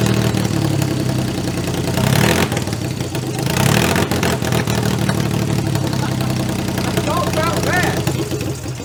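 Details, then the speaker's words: Audi-based project car, first start after rebuild: engine catches and settles into a steady, even idle with no knocking or rattling that did not sound bad, though it is burning oil. ">> That did not sound bad."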